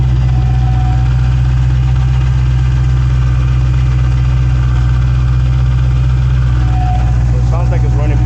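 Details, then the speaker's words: 2016 Dodge Challenger Hellcat V8 after replacing all 16 spark plugs and one misfiring coil: deep even idle, steady lope about two beats per second, no stumble; no misfire, not yet road-tested. "pretty good you can't drive it because it's missing a wheel but once the customer puts the wheel back on it's gonna have to go driving and see don't seem like it's misfiring or anything like that so we're good"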